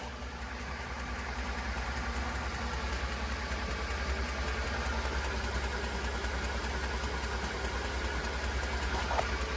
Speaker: This is the sound of a frayed timing belt slapping inside the cover.